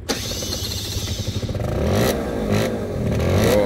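The revs climb sluggishly with a thick, uneven burble, so it runs boggy and rich with the choke still on while warm.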